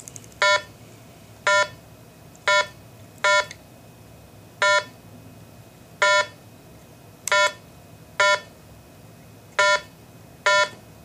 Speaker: to program this 11 digit site id number press two one enter now enter the eleven digit